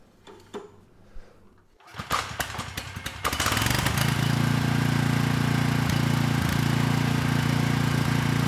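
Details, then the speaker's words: Briggs & Stratton Vanguard replacement engine on a Storm Responder generator (original engine threw a rod from no oil), started on choke at low speed before the power head is fitted: a few pulls, then a steady, even low hum with no knock; normal idle. "all right not too bad it started right up and the engine sounds good"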